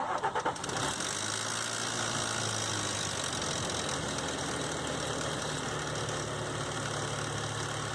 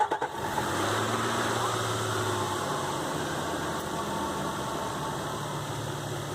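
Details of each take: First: 2005 Nissan Xterra VQ40DE V6 cold start; light, busy rattle over idle, from timing chain slapping after tensioner guide hook stopped riding on the tensioner, owner believes; fixed by replacing chains, guides and all three tensioners; timing chain rattle. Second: 2005 Nissan Xterra VQ40DE V6 after replacing timing chains, guides and all three tensioners (broken tensioner blamed for rattle); steady, even idle with smooth low hum, no rattle or tapping; normal idle.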